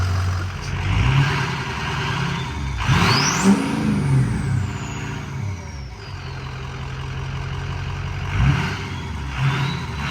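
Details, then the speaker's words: 2005 Ford F250 6.0 Powerstroke diesel, after fixing a crank-no-start and re-priming fuel after air testing; idles steady, revs up cleanly twice and drops back without stumble, miss or knock, running normally. "all right we got her all back going took a little bit of cracking because when you air test it you push so much air into the system"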